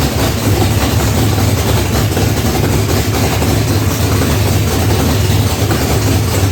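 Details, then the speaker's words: Chevy big-block V8 in a box Chevy, restarted after a rich first start, carburetor and timing not yet set: loud, deep, steady idle rumble with even beat, no knocks or misses; healthy but loud enough to drown out talk. "Yeah, the bitch sounds good. A little loud. We couldn't hear anything we're saying."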